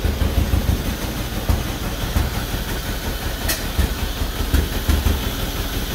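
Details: 1949 John Deere B two-cylinder, first start after engine rebuild (head, pushrods, rocker arms, manifold refitted): heavy, uneven low thumping with irregular beats and rattly vibration; runs rough, parked on a slant, possibly running out of fuel; several issues remain, cause not yet pinned down.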